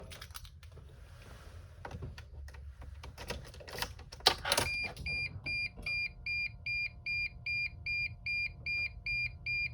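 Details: 2006 Sprinter, no crank, no start: after handling noise, a sharp electronic chirp repeats steadily about two and a half times a second with no cranking at all; cause not confirmed.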